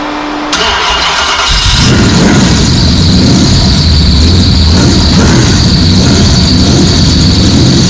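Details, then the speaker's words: Muscle car after a flat tappet lifter update, cam broken in for 20 minutes without trouble, compression ratio raised from 7.58: cranks briefly, catches and settles into a strong, even idle with no ticking or misses; sounds healthy. "I got to tell you, this thing really sounds good."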